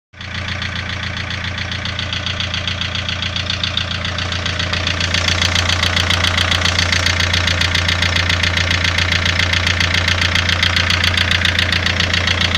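A steady, even tick-knock of about two or three beats a second runs over the idle; it is a knocking noise whose source is unknown.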